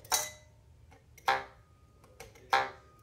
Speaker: that's what a reed should sound like if it's if it's going to be sounding freely when you pluck it is is kind of a twang rather than that that metallic rattling sound that you'll hear with the buzzing reed